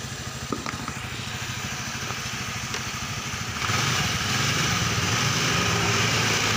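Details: Honda Vario Techno 125 scooter brought in for sudden ignition loss and stalling while riding. It idles steadily and evenly while the charging fuse is pulled during fuse checks, with no fault audible.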